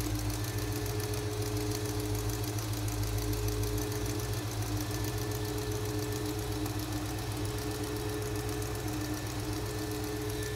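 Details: 1970 Oldsmobile Cutlass very mild V8, revived after 15 years, during adjustment set back to about 7: deep, steady idle, even low thrum, no misses, pings or stumbles. Normal smooth idle.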